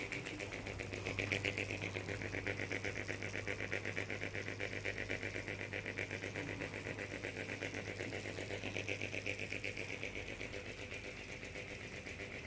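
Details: Noisy ceiling fan: a steady fan hum with a sharp, even tick about four times a second throughout, so something in the fan is clicking each turn.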